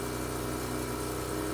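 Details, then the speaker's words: Mazda RX-8 rotary, cold, just restarted after ignition coil replacement for code P0300 cylinder 1 misfire; steady, even hum at 2,000 rpm slowly dropping, no stumbles or skipped beats. Very smooth idle; normal. "rpms are at 2000 and they're slowly dropping i don't know if this is too soon to say but this sounds smooth like this sounds like very smooth idle"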